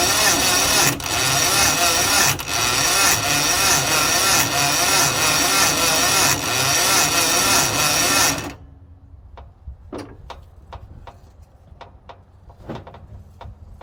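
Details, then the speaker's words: Carbureted International Harvester 4130 skid steer with a newly installed starter and fuel reaching the carb. The starter drags the engine over slowly, with heavy compression beats about every 1.5 seconds, and it never fires; ignition power was then traced. "still turning over slow so I'm gonna try to hit it with some starting fluid to see if this thing will fire"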